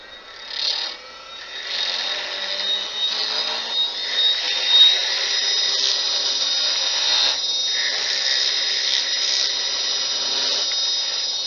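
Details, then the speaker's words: Small wood lathe blank (under 2 in snowman) cut with a skew chisel: hissy, chattering cut with rapid clicking as blank is still out of round; turns smooth once cylindrical. "if you want to know if you're on if you're a cylinder or not you hear that clicking so we know we're not yet once that's a nice smooth sound we know we're a cylinder"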